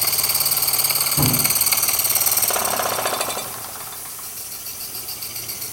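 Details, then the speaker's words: Jensen #5 toy steam engine, electrically heated and running at very slow speed. Light, regular chuffing at about three to four beats a second, easing off gently. It ticks over evenly; normal slow running. "kind of like to watch it run at a very slow speed and when you're running some toys this is about the right speed"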